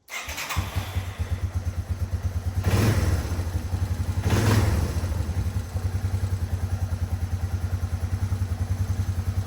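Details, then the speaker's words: 1989 Yamaha Moto4 200 ATV, sat 15–20 years, after valve clearance adjustment: even steady single-cylinder idle with two throttle blips and no top-end tick; previous ticking no longer heard, normal idle. "so as you can tell you can't really hear that noise anymore so I think that that was our fix"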